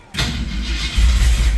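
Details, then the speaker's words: Ford F100 carbureted V8 just after a carburetor fix, power steering hose also fixed: quick catch on the starter, then a steady low rumble settling without stumbling, sounds much better and idles smoother. Normal idle. "oh that sounds so much better and it already idle smoother"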